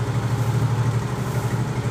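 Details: Automatic single-cylinder scooter that ran out of engine oil on the road, idling after kick-starting until it caught: low, steady, even thumping with no knocking or grinding, running smoothly again.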